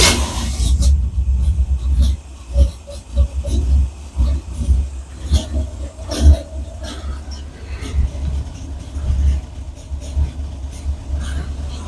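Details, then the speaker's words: Square-body Chevy C10 hot rod that suddenly died and would not restart hot, cranking with a good battery; cold, with a little gas, it catches into a lumpy, uneven rumble with throttle blips; the owner suspects a carburetor rather than an ignition problem. "first thing we're going to do is we're just going to give it a little gas see if it starts since it wouldn't start when it's hot let's see if it starts when it's"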